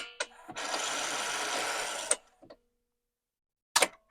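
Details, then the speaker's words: Commodore 1525 dot matrix printer for Vic-20/C64, untested for years, ribbon not seated in front of print head: buzzy even mechanical rattle about 1.5 s then abrupt stop; mechanism balks, not printing properly, ribbon placement suspected. "and now as I get it in front of the printer head kind of sort of it's back to not wanting to move I think oh that's weird"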